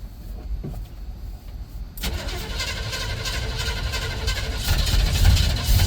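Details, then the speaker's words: 1975 El Camino (GMC Sprint) V8, on its first drive in over 10 years, right after refueling with 93 octane: quiet clicking, then it catches suddenly and runs rough and lumpy; owner suspects a stuck float, with fuel pouring over the carburetor top. "That was weird. Like it's stuck afloat."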